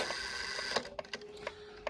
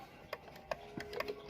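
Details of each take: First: Serviced 1800s kitchen clock striking with cotton stuffed in the gong by owner and leather removed from strike hammer: dull soft tapping strikes over light ticking, no ring or sustain; muffled gong strike. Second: 1800s kitchen clock after soap-water bath cleaning, pivots cleaned, movement oiled and put in beat, running about 1.5 hours: quiet crisp ticks about three per second, even tick-tock; in beat and healthy.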